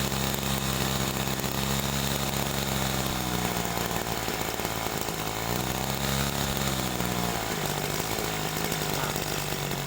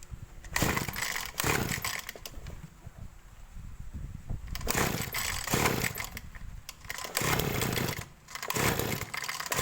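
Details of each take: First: Small petrol sprayer engine carburetor, idle mixture too lean: buzzy note sounding dry, sagging and wavering as RPM drops like it is about to die. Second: Small two-stroke engine of a sprayer, carburetor high-speed (main jet) screw adjusted: repeated sharp revs to strong clean top speed without stumbling; mixture right, not so lean it overheats while spraying.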